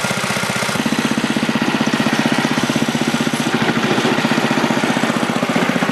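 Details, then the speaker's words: Older 7HP Tecumseh snowblower engine after carburetor rebuild with a new kit, on fresh gas, primed and choked: single cylinder firing steadily at a brisk, even beat with no stumbling or surging; runs clean and healthy. "so it runs good I'm just going to do a quick restart to make sure that everything's still good even though it's warm"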